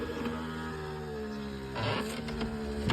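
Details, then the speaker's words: Volvo V50 power window lowering: motor whines steadily with unpleasant squeaky scrapes from a dry, stiff window regulator, before repair. "є такі як ситуація що коли опускається скло неприємний звук"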